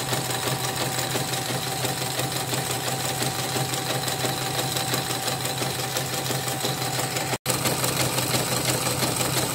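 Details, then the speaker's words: Portable CNY embroidery machine after repair: fast stitching clatter about three beats a second with a rough scratchy edge; still rough even with a borrowed new bobbin case; the original case is worn loose and being soaked and cleaned before smoothing. "Ini saya pinjam sepatu yang baru, masih kasar juga. Memang sepatunya memang udah oblak, ini lagi di rendam dulu, dicuci sebelum dilicinkan."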